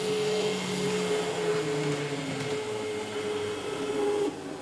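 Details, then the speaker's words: Used Atlas EMD S9 locomotive, DCC without sound, after earlier adjustment and lubrication: thin, steady high whine absent at very slow speed, rising and sharpening with speed over track noise; suspected over-lubrication or lube in wrong spots, before disassembly and cleaning. "Now, real slow speed, it's not there. Still not there. Okay, there it is. When the speed increases, you can really hear that whine."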